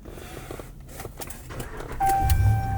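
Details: 2019 RAM 1500 restarted without jumper cables after charging from a jump: dash chime, then the engine catches with a deep rumble and settles, starting cleanly on its own battery.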